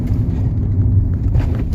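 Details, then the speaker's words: Dodge Journey on a road test after rear brake work, braking to a stop: only low road rumble, no squeal or grind; rear brakes quiet. "beautiful no noise i like that"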